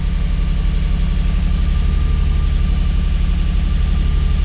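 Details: Lexus IS200 automatic with code P0301 (cylinder 1 misfire), restarted after repair work: deep, lumpy idle with an uneven beat about three times a second and no warning light; still misfiring, attributed to a faulty ignition coil.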